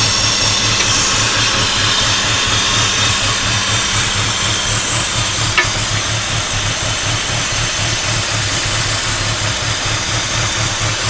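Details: 2004 BMW E46 petrol engine idling after driving through water, with a light, fairly quick knocking/pinging tap over a steady low hum and heavy hiss.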